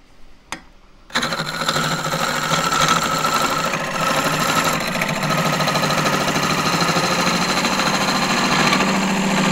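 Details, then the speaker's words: Small lathe turning thin-walled green juniper natural-edge bowl, bounce gone so speed raised to about 1200 rpm: steady even whir with fast light ripple from the spinning work, no thumping or wobble; smooth running at higher speed. "Bounce has gone out of the lathe a bit so I can spin it faster now up to 1 12200 a MIM"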